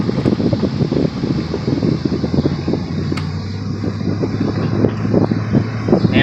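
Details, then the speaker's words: C4 Corvette driven on the road with windows down after new brake rotors: steady road rumble and wind, no knocking or vibration through braking and turning, where previously an obnoxiously loud knocking occurred; rotors fixed it, normal brake operation. "So now we got no more knocking noise. Those rotors seems to have fixed it."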